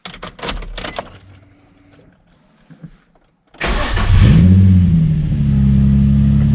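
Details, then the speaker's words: Nissan 350Z/G35 VQ35DE first start after idler pulley delete with rerouted 6PK1145 main belt: quiet, then engine catches cleanly and settles to a steady even idle, no belt squeal; normal start. "Give it a couple revs just to make sure it don't squeak."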